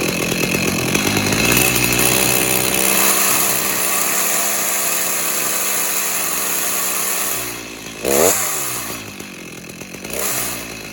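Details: Stihl MS290 chainsaw, customer complaint of clutch-area noise, running with bar and chain fitted: high buzzing revving with rough rattly chain-drive edge; wrong bar and chain fitted, clutch sprocket worn and needs replacing.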